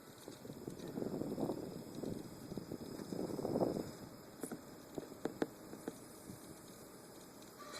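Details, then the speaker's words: Maingear F131 desktop PC, several years old and normally quiet, suddenly making irregular ticks and soft rattling bursts over fan hiss; noise continues with the spinning disc held stopped, source unknown, fan suspected. "So the disc is stopped. The noise continues, so I don't recall hearing that noise before, because every morning I come down here and turn on my computer and it's always so quiet, and I never heard that noise until this morning."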